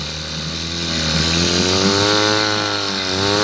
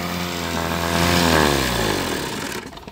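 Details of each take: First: Mercury 7.5 hp two-stroke outboard, first start in about 14 years: buzzy note rising and falling unevenly as revs wander, slightly rough; carburetor still dripping, bowl possibly loose, needs some carb adjustment. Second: 1974–1984 Mercury 7.5 hp outboard, first start in over a decade, carburetor bowl still dripping; smooth even buzz, pitch easing down before shutoff, no knocks or misses, normal running.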